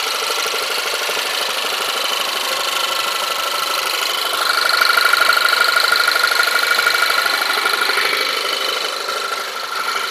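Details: Audi TT 1.8 TFSI at idle just after starting, recently acquired: steady idle with fast light ticking and a thin high whistle swelling briefly; owner fears engine damage, source unknown.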